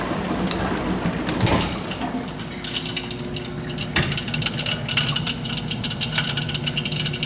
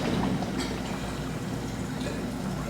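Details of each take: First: GE dishwasher draining: pump hum under scattered metallic rattle and ticking as debris strikes the propeller-like drain impeller; noisy when running and draining; fix is removing the debris. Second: GE dishwasher after removing glass and debris that the drain impeller was hitting: hums quietly with soft water swishing, no clanking or grinding during the regular cycle; runs normally after repair.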